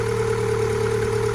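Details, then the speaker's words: MG ZS 1.6 on a jump pack, not started for several months, started straight away: a steady, even idle with a constant low hum and no knocks, misses or squeals. Normal idle. "it sounds good so they're really impressed with that it started straightaway which wasn't wasn't expected seems like she's running I'm really good"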